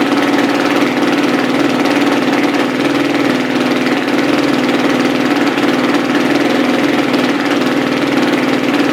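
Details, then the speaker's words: Carbureted four-stroke single-cylinder dirt bike, cold start as oil pressure builds: the idle comes up to a fast, even thump of about four beats a second with no knocks or misses. Normal idle. "you'll hear the idle come up high starting to come up getting this oil pressure things are starting to be a little bit smoother"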